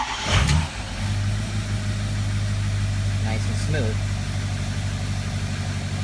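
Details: Ford 6.0 Powerstroke diesel after head gasket install with cab on, head studs torqued to 75 ft-lb: short crank, catches right away and settles into a steady, even low idle, no misses or knocks; healthy start-up.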